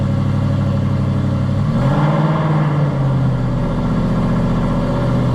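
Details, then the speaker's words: Aston Martin V8 Vantage on a cold start, revved only lightly before oil pressure builds: a deep V8 burble blips up and settles smoothly. It runs perfectly smooth with no misfire. "At least she runs and she runs perfectly smooth. Don't want to re too much cuz this is cold start. The oil pressure hasn't built up. No misfire, no nothing."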